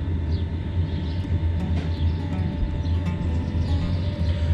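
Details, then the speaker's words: Newly installed Chinese 5kW 12V diesel air heater under driver's seat in Vauxhall Vivaro camper, set to 20°C, air 14°C: steady low rumble, fan hum, faint ticks; running normally, louder than expected when new. "there's definitely some nice heat coming out of there now it's noisier than i expected i have to say but i imagine that'll hopefully quiet down a bit as it wears in"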